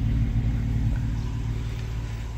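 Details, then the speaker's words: Honda V6 after replacing all the spark plugs, which fixed misfires that had set codes: smooth, steady idle hum with no more popping or skipped beats. The owner says it ran rich from worn O2 sensors. "I'll just finished everything and start it up and look you don't hear any popping misfire like poop poop poop anymore"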